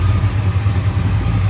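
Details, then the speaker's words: 1965 Plymouth Satellite V8 warming up after swapping Edelbrock 1407 750 cfm carb for Edelbrock 1912 AVS2 800 cfm, earlier vacuum leak from unplugged hole in carb back fixed: steady, even deep idle, no misses or knocks. "l there she is warming up sounding a whole lot better yeah that sounded like a massive early you know vacuum leak wasn't the uh intake it's the back of these carbs they got a massive hole in the back right"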